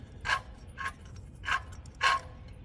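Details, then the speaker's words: 2005 Dodge 3500, engine off, belt removed without curing the noise; turbocharger shaft spun by hand gives a short, harsh scraping rasp about twice a second, wheel rubbing and sounding worn; owner concludes the turbo needs replacing. "That's my turbo. This is the noise. I don't know if you guys can hear that, but I'm spinning it."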